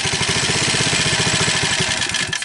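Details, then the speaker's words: Homemade ATV with 79cc four-stroke single swapped into a 50cc two-stroke frame, first start: quick, sharp popping beat catching and running on its own, then faltering and dying away; engine starts and runs. "See what she's going to do. Well, it runs."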